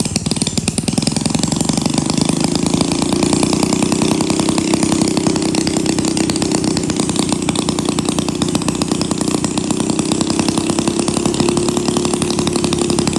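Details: 1937 Maytag Model 92 single-cylinder two-stroke, running before cosmetic cleanup and repaint, needing no mechanical or ignition work: rapid even popping beat holding steady speed throughout, no misses or knocks; running healthy.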